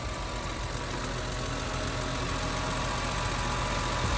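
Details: Newly bought, cheap BMW E46 M3 after a quick rev: steady, even idle with a quick regular patter and a faint whirr on top, nothing knocking or missing. Normal idle; the owner thinks it probably has a K&N filter.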